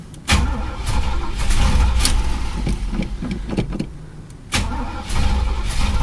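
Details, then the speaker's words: Chevy El Camino sitting about six weeks, gas gauge broken and reading full: starter cranks steadily, pauses, cranks again but never catches; nothing coming out of the fuel filter, tank empty; no start from fuel starvation. "damn well here's the reason no gas getting up in the car nothing coming out of fuel filter"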